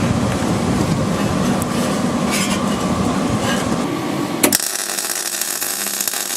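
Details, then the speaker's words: MIG welding on a Land Rover's rotted rear chassis crossmember for an MOT repair: a crackling arc buzz that stutters, starts and stops, then a brighter hiss, with the welder at its minimum setting to fill a roughly 1 mm gap between panels. "some of the bits there where there was a gap that needed filling i had to put it down to the minimum setting on this welder and then you could hear me again and then stopping and stopping"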